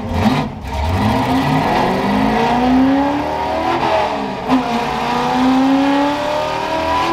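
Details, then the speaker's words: Ford F100 V8 after timing adjustment and replacing a clogged fuel filter: strong blips rise and fall cleanly and quickly with no misses or stumbles; healthy, crisp revving. "oh it's good oh it's really good listen how crisp those reps are oh my goodness"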